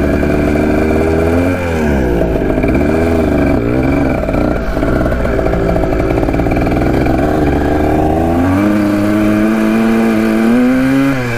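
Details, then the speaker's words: 1980 Kawasaki KDX175 two-stroke after revival from a locked-up state: a ringing note that revs out all the way but climbs slowly and lazily; owner suspects the carb slide. "you can hear it uh rev out all the way but it takes a little bit i think it might be the slide"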